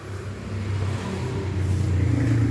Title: NISSAN ELGRAND VQ35 GASOLINE MISFIRE PROBLEM AMOY GASULINA PART 1